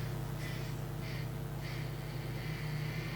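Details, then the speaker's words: HP Pavilion x360 convertible laptop, running: low steady hum under a high whirring that surges about every half second, then holds steady; fan suspected to be failing badly, to be lubricated after teardown; not confirmed. "So, pretty sure it's the fan playing up badly."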